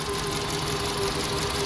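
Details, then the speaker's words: 2012 VW Polo Vivo petrol engine idling smoothly and evenly with no stumble after reconnecting a missing wire that had caused a shaking misfire; normal idle. "So, since I put the wire back, the misfire is done. As you can see, the engine is running just fine."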